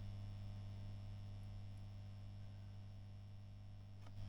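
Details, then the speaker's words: 1990s Fender Twin amp in a custom unscreened cabinet, idling on standby then switched on, no signal: steady low mains-pitch hum, transformer somewhat noisy; intermittent tube noise also suspected, no fault confirmed; lack of cabinet screening possibly adds noise. "Transformer does seem a little bit noisy on there. You can hear, and when we switch on from standby, slightly amplified."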